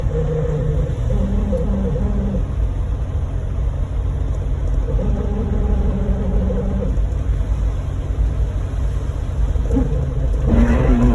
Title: Do any of the YouTube mechanics know what’s making this sound? The abnormally loud part is the wiper